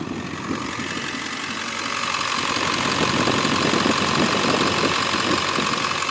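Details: 2002 Ford F250 with 7.3 L Powerstroke diesel, four-speed automatic, factory idle unmodified: steady, even diesel clatter at idle with no misses or odd knocks; sounds healthy.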